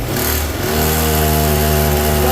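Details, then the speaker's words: Small two-stroke pocket rocket minibike climbs to a steady high buzzing rev and holds without pulling or moving; owner suspects worn-out clutch plates/slipping clutch, with a large crank noted; kill switch also doesn't work; not yet confirmed. "No, do not, it sounds like it's winding up."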